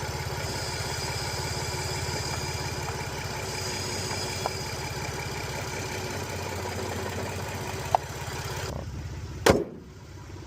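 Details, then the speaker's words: VW Passat R36 on test drive: lumpy, uneven idle with the beat stumbling every so often; misfire at idle, cause unknown, seller says it cruised okay, ESP error also shown. "Is this normal for it to miss fire like that?"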